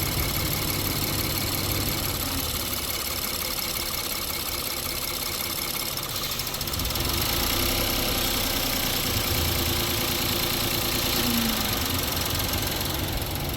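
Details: 2017 Honda Pilot at idle: steady idle with an uneven, shaky beat of about three and a half pulses a second; engine runs rough without an obvious misfire.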